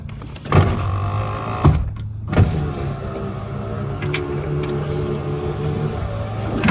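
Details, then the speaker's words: C4 Corvette power window running on a known-good passenger-side switch after the original switch gave no response. Steady motor hum between switch clicks with no grinding: the window works, and a new switch is to be ordered. "So, you're telling me every time I want to roll my window up, I'm going to have to switch buttons."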